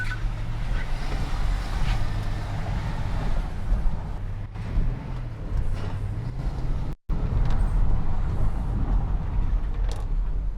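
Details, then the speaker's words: BMW E70 X5 N62 4.8L V8 warming up at idle after valve stem seal, water pump and thermostat work: a steady, even low rumble with no misses, ticks or knocks, noticeably smoother than before. "now we're gonna let it warm up and then we're gonna do the test to see if it's still puffing blue smoke the engine sounds wonderful a lot smoother than before"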